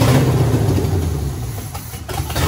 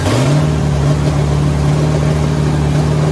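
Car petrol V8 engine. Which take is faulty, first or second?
first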